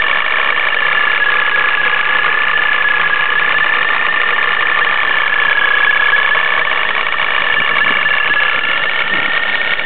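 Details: Nissan 350Z with Vortech supercharger idling with a loud, dense metallic rattle over a steady high whine, sounding like the car is falling apart; supercharger rattle at idle.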